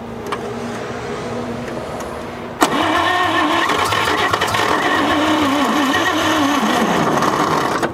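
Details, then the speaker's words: 1946 International KB1 truck, abandoned 50 years, old starter and hot: starter clicks in then drags the engine slowly and unevenly, pitch sagging for five seconds; slow weak cranking, weak battery or failed starter suspected. "that sounds like the battery though doesn't it either that or the starter just completely completely went out"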